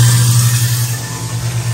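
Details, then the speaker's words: Normal running of a newly installed American Standard 1/2 HP garbage disposal: steady, even low motor hum with no rattles or grinding surges as it spins up and runs smoothly; everything working. "you can hear it grinding away everything seems to be working"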